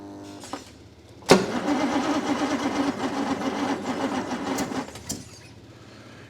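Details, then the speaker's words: 1962 Rover P4 that stopped running, good spark at the points, plugs and leads checked: starter churns steadily about four seconds with faint uneven puffs, never catching; cranks but will not start. "It kind of wants to go, doesn't it? It sounds like it's going to fire. But it doesn't. I can hear it doing little puffs, little fires, but it doesn't want to go."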